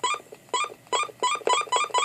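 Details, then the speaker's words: President McKinley 40-channel AM/SSB CB radio keyed into a dummy load with roger beep and key beep on: short bright electronic chirps about every 0.4 seconds from the speaker on unkeying; normal roger beep as heard by receiving stations. "That sound coming out of the speaker there is what you should hear on the receiving radio. So somebody listening to you on air, that's what they'll they'll hear when you unkey. That's your Roger beep."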